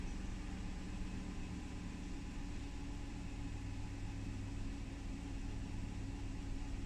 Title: LX470 rough idle & stalling